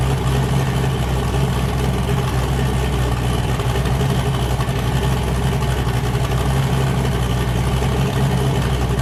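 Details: Boosted car "James Brown", new cam fitted after a 23 psi run blew a coupler off, freshly started before warm-up: loud, lumpy V8 idle with a hard, regular chop, even on all eight. Normal choppy cam idle.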